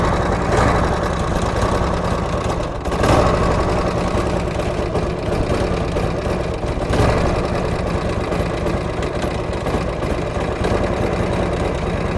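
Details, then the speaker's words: 1967 Harley-Davidson Shovelhead FLH after repairing loud front-cylinder/head clanking, with loose bearings cleared from engine and oil pump: even loping twin idle, no ticking lifters or metallic rattle; normal idle. "oil pump was a pain to take apart but we had to take all that stuff apart to get all those little bearings out of there um but yeah it seems to be seems to be totally good there we go"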